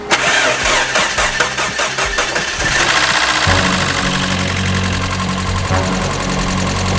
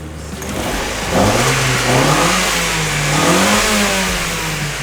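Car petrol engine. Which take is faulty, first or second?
first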